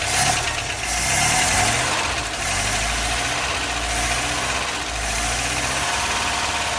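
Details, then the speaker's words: Toyota LN65 Hilux 253 V8 just started after a decade sitting, steady idle with fine busy ticking; top-end valve train noise blamed on long storage, almost gone after 20 minutes idling. "I mean, exhaust-wise, it's got a fair bit of valve train noise, but not too concerned about that, considering how long it's been sitting."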